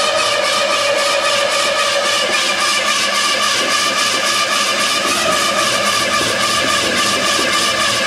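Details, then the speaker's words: 1968 Mercury Cougar 289-2V V8, first start after rebuild, cold weather, cam break-in: loud, busy steady fast idle with an even, fast beat and smoke from the cold; owner asks about a rumbly sound, but engine sounds healthy. "what the heck is this smoke oh that's because it's cold outside but what is this rumbly sound right here"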